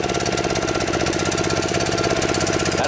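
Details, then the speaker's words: DR TR-1 trimmer with Kawasaki FC150V 6.75 hp engine, stored too long: rough single-cylinder chatter that idles but won't rev up; plugged carburetor main jet, with slow-speed circuits still working. "much little rev up it seems like it'll idle okay just won't wrap up break up what that's telling me is the main jet inside the carburetor is plug"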